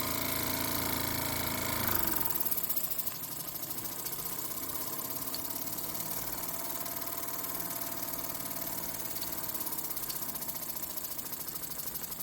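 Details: Vintage Mamod steam traction engine stored over 40 years, cleaned up and fired: a quick, even ticking beat of about four per second holds steady once the burner settles, running smoothly.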